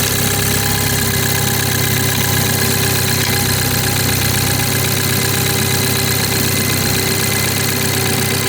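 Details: BMW 430i xDrive with B46/B48 4-cylinder, cold start in cold weather: fast idle with a loud, rough knocking clatter throughout. Abnormal cold-start engine noise, cause unidentified.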